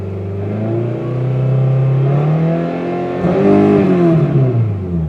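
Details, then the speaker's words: Circa-2000 Toyota Camry four-cylinder, 5-speed manual, demolition derby car: uneven, lumpy loping idle, then throttle blip rising and falling unsteadily; sounds like a dead cylinder but owner says none is dead, cause unknown. "it sounds like there's a dead cylinder but there's not a dead cylinder so I'm going to have to do some looking into this to see what it is"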